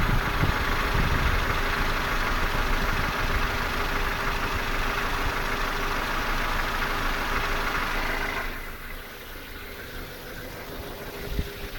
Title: Стук мотора 2